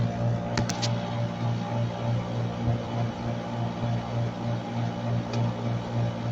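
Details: Split-type air conditioner outdoor unit after replacing a burnt compressor terminal wire, drawing 8.1 A with 50-55 running pressure and cooling: steady low compressor hum with a faint regular pulse about three times a second, no rattles or grinding; normal running.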